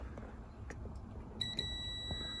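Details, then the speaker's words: Speeduino DIY-EFI engine control board being rebuilt after track damage, multimeter on continuity: a few clicks then a steady high beep between ground and 5V out pins even without the capacitor fitted; short circuit between 5V and ground. "So if I go from ground to 5 volts, I get a short. So this is the capacitor which is shorting without the capacitor being installed."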